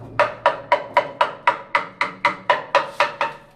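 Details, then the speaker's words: Bathroom wall tile tapped by hand: about a dozen quick taps, four a second, sounding hollow. The tile is completely empty behind with no mortar, unlike properly filled tiles, and must be rectified. "दूसरी चीज, जब आप इसको बजाते हैं, ये देखो यहाँ पे पोलापन है, साउंड से ही अलग मालूम पड़ जाएगा आपको कि यहाँ पर कुछ मटेरियल नहीं है, ये बिल्कुल खाली है।"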